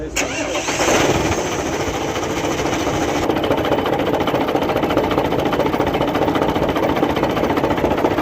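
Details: Truck diesel engine: it turns over and settles into a rough run with an uneven knock about twice a second through the clatter. Crankshaft fault suspected; cause unconfirmed.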